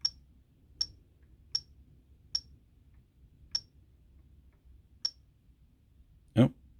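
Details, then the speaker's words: Jeti transmitter with a rotary knob set as repeating trim: short, sharp beeps, at first about every 0.8 seconds and then further apart, as the trim steps once per beep until it reaches its maximum. "so all i have to do is then wind the switch on number down until we get the beeping there we are"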